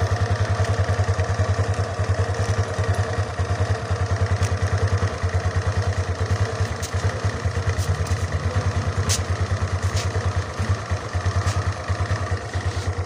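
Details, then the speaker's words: Suzuki Skydrive 125 scooter idling after a CVT service and reassembly, started on the kickstarter. Even, regular putter with no rattle or rough judder from the belt drive; it now runs smoothly. Normal idle. "kecepatan idle , seperti ini. Suara saat diam. Oke. Oke. Ini terasa lancar untuk pertama kalinya ."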